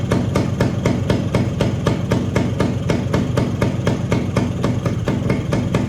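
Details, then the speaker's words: Suzuki TS185 barn-find motorcycle after sitting 25 years; sharp regular popping about four per second over a rough low chug as the old compression release (cable possibly seized) leaks pressure every stroke; later removed and bike ran; compression leak through compression release valve. "Yeah, that compression release is releasing pressure. Let's take that out. I don't think it needs it anyway."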